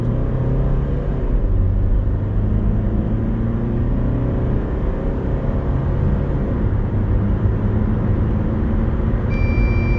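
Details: 2025 VW California T7 Ocean, 2.0 TDI 150 hp four-cylinder diesel, 2475 kg, full-throttle 0–100 km/h run: deep, steady diesel drone pulling hard and evenly with no knocks or rattles; healthy under load.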